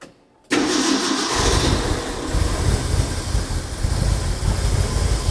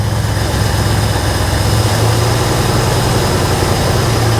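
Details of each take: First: Ford F100 truck, bought without being started, restarted after sitting in case it had flooded: it catches at once and settles into a steady rumbling idle with no stumbling. Idle setting still to be checked; no coolant in yet, so a short run only. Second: Ford F100 V8, first start after purchase, no radiator fitted: holds a fast steady idle that never drops; throttle lever stuck open, pulled back toward the front; high idle from stuck throttle linkage.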